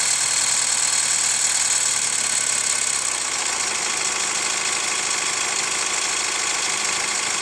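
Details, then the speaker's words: Hyundai ix35 CRDi 136 hp diesel, hot after a drive: light sharp ticking about three per second over a busy engine note; dealer replaced chain tensioner 1.5 years ago, lifters or tensioner suspected; hot engine knock, cause unclear. "Интересный эффект возникает, когда чуть-чуть газку добавляешь. Звук как будто становится звонче."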